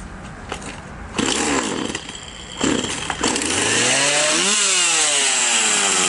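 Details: Husqvarna 142 chainsaw after replacing the oil pump plunger for no chain oiling: a few scratchy pulls, then it fires and climbs to a steady high-pitched scream that holds evenly; runs healthy and chain oil now flows.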